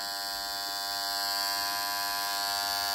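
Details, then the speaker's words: Pump-panel contactor drawing 9.6 A, energised, gives a steady high-pitched electrical buzz; dirt getting inside is suspected, but the buzz persisted after cleaning. "Galiba pislik kaçmış içine. Pislik kaçtığı için ses geliyor. Bunu temizlememiz lazım."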